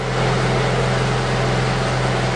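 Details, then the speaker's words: Honda Accord VTEC engine idling right after a change of both timing belts, test-started with the crank pulley bolt finger tight and covers off: steady, even low hum, no shake or knock, no vibration; normal idle. "Sounds good to me. No problems."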